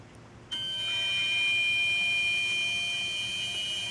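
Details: Car parked in garage, engine off for 2 hours: steady high-pitched electrical buzz from the engine compartment holds about three seconds then cuts out, one of five short instances; source unidentified.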